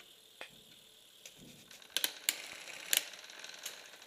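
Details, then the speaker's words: Bicycle rear derailleur: light, irregular metallic clicks and chain rattle as it fails to shift up into the high gear and stays in second, because the high limit screw is too tight; the fix is loosening it gradually. "tuned you're going to get a symptom that looks kind of like this where you're trying to get it up into the high gear but it just doesn't want to it wants to stick around in that in the second gear"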